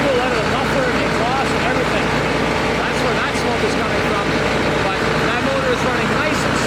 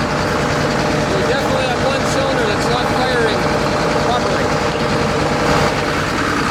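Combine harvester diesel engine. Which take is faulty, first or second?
second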